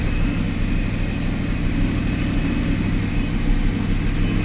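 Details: Audi R8 after a no-crank, no-start fault was repaired: steady, even low rumble with no misses, knocks or hunting; the engine idles smoothly and sounds healthy, a normal idle.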